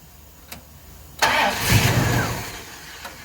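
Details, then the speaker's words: 1970 Pontiac LeMans, rebuilt 455 bored to 461, Quadrajet carb, MSD 6AL-2 ignition: engine shut itself off, then starter cranks the V8 about 1.5 seconds without catching; MSD box suspected, spark tester check follows. "So then it does this, and it just shuts off. So I'm going to test some stuff real quick. You saw the car just shut itself off, right? Okay, let's see if it'll restart. That's all it does."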